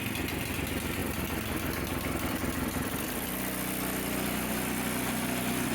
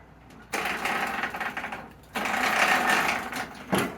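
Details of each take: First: Briggs & Stratton 205 cc single-cylinder snowblower engine, bought as a parts machine, runs with a steady, even putter and constant beat, no knocks or misses; engine runs fine though the snowblower won't drive forward. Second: Briggs & Stratton 205 cc engine on a parts snowblower running in rough uneven bursts with rattly chattering clatter from the gear case underneath; previous owner says missing screws cause the noise.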